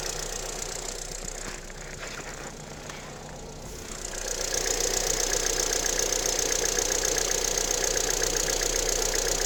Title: стук на холодную cwva